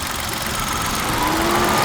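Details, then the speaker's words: Old car idling, bonnet open: faint thin squeal creeps in and rises over the steady idle rattle; owner fears something starting to fail; cause not confirmed. "oh there he is starting to squeal a little bit then um yeah just gonna have to wait now then see the trouble the situation"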